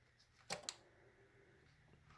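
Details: Aprilia RST1000 Futura with no spark and the fuel pump not priming. On turning the ignition off, two sharp clicks about a fifth of a second apart come from behind the dash; source unknown, and the fuses checked are good.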